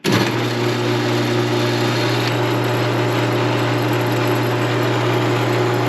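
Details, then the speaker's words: Copper King's motor run with its belt pulled off: smooth, even low-pitched hum with no knocks or grinding, motor sounds good; the noise heard earlier is suspected to come from bearings further down, normal running. "Okay, the motor sounds good. We got a lot of noise just coming from all this stuff."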